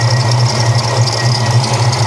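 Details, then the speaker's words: Supercharged stroker Mustang GT V8 at idle with the hood open: a faint constant high-pitched squeal over a deep steady idle, from a belt pulley, likely the idler or tensioner on one side. "you can hear that supercharger from here it's subtle but it's there you got a belt squeal maybe a pulley guarantee we got a pulley"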